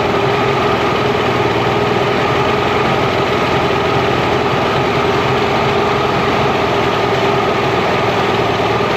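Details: Mercury inline-6 outboard after #3 cylinder spark troubleshooting: steady even idle near 1100 rpm, no skips or stumbles; idle may drop under back pressure and may be lowered with idle screw.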